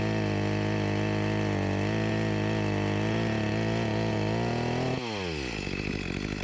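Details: Echo CS-352 chainsaw after a replacement carburetor and gasket fixed its start-and-die complaint, cutting a log: steady high two-stroke buzz holding revs through the cut, then a clean drop as the throttle releases; healthy, with a slight bog blamed on a dull chain.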